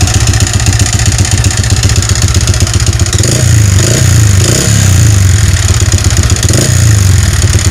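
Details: Yamaha Vixion motorcycle engine before repair, smoking, oil-starved from a leaking clutch cover gasket: rough idle with hollow, uneven clatter about four knocks a second; piston-to-cylinder clearance (piston slap), fixed by replacing block and piston.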